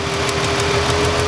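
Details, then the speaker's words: Ford Freestyle 3.0 V6 misfire with no codes, coil held while the engine idles: light, even tapping as the coil arcs internally or inside the boot, giving a weak spark. "I can hear it arcing inside the coil when I move it. See how I don't even have, I move it just a little ways away, and I can hear that arcing. It's taking place inside the coil somewhere, or inside the boot."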